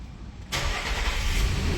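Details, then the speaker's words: 2009 Nissan Pathfinder 4.0 V6 after replacing both camshaft sensors, spark plugs and ignition coil boots: starts instantly and settles into a smooth, even idle, way smoother than before; normal start. "Oof, instantly. Nice. Super smooth, way smoother than last time."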